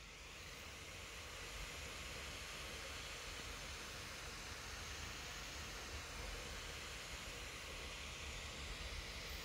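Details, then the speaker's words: ASUS Zenbook 14 Q407IQ (Ryzen 5 4500U, MX350), constant even rushing air while nearly idle at CPU about 35°C; fan stuck at full speed. "now the fans are constantly running you can see the system is doing basically nothing"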